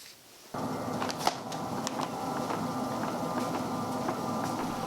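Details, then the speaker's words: Treadmill after repair: high spots on the bed under the belt were sanded smooth and silicone lubricant was applied. Steady motor and belt hum with soft even footfalls and no squeak or rub; runs normally. "squeak or rubbing or buzz it whatever you want to call it was completely gone"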